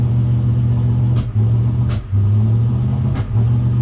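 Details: Luhrs 28 boat V8 carburetor test in neutral, no load, air filter disconnected; steady low rumble that sags and stumbles briefly each time revs climb past about 1700 rpm, carburetor hesitation.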